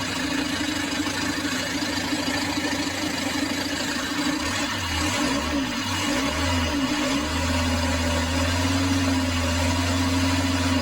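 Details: Isuzu 4JB1 diesel that would not start, after the starter was fixed and refitted: it starts on one click, then a steady idle clatter with an even low beat, no misses or knocks, running smoothly.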